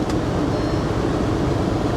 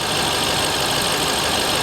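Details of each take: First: Audi at a Copart auction in New Orleans, 94 degrees, in gear with the check engine light flashing: an uneven, lumpy note, pitch wavering under traffic noise; misfiring, running rough and sputtering. Possibly water blowing from the exhaust. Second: Dodge Ram SRT-10 with Viper V10 at idle; check engine lights on; smooth, even idle behind hiss, no knocks, ticks or misses; sounds real good.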